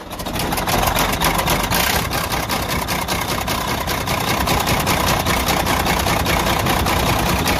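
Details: Detroit DD15 diesel at idle: regular heavy knock, two or three per second, from the front of the engine; teardown found rod bearing failure and crankshaft damage, and the engine was overhauled.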